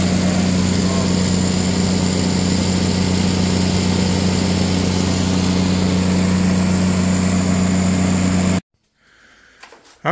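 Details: Katolight 110 kVA (110 kW) three-phase diesel genset, run outside after fixing a no-start; smooth, even low drone with steady beat for eight seconds, then clean shutdown, came up to temperature: healthy genset.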